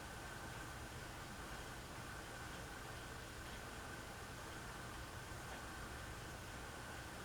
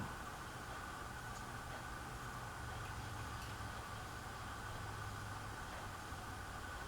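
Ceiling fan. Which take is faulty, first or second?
second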